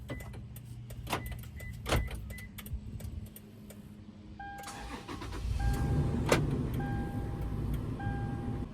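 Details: 2010-2024 Toyota 4Runner after installing a Start X aftermarket remote start kit, started with the factory remote lock button: a few short chirps, the engine cranks, catches and settles to a steady, even idle, so the remote start works normally.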